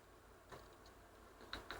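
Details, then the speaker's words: Bose Wave Music System IV, one unscratched CD: faint scattered ticks and clicks as the optical pickup keeps hunting for the track and never settles; fixed by cleaning the optical assembly. "if I skip it on a little bit so to the next track it just about finds the track this hunt I can hear it hunting quite a bit for the track but it's not finding it"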